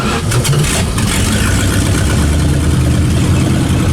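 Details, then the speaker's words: 1967 Dodge Dart that sat over five years, first run: loud deep V8 rumble keeps surging and stumbling, won't hold idle; owner suspects a worn throttle spring not closing the carburetor, not confirmed. "she just doesn't want to stay wrong in a it's a throttle spring you gonna tighten it up a bit I bet you it's worn out"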